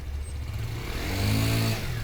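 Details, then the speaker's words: Honda Beat scooter CVT just after fitting a Kirian pulley and roller package (MJRT brand, bought on TikTok): the engine roars sharply on pull-away, with revs climbing ahead of speed because the light rollers cause the over-rev. It is smooth once moving. "kenceng ya, bunyinya ya, gerung ya. Tapi kalau ini sih, kalau udah lari juga udah enak ya. Cuma itu di angkatannya itu gerungnya parah teman-teman ya."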